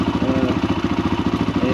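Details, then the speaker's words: Kawasaki KLH140L after its clogged carburetor was ultrasonically cleaned; it had sat for years, ran only on full choke, then not at all: a smooth, even single-cylinder putter with no misses; clean idle after repair. "so let's listen to it that's right up i'm gonna adjust the idler a little bit in it"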